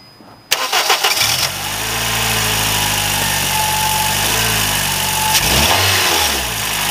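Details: 2007 Honda Fit, about 200,000 miles, hesitation at 60 mph, valves probably never adjusted: after coil number two was replaced with dielectric grease, engine cranks and idles lumpy and stumbling, same as before.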